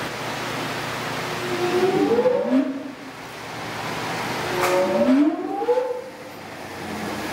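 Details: Large hydraulic gear motor run as a pump, turning clockwise, not broken in; loud whine rising and falling with pressure over a steady hiss, with little flow drop under pressure. Normal for this size, without the weird noise the customer heard.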